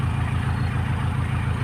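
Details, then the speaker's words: 1997 Nissan Big M pickup, BD25 2.5-litre four-cylinder direct-injection diesel: even, deep diesel clatter at idle, steady with no stumbles or misses; a normal, healthy idle. "ผมสตาร์ทเครื่องอยู่นะครับเดินเบาปกตินะเครื่องไม่มีสะดุดนะ"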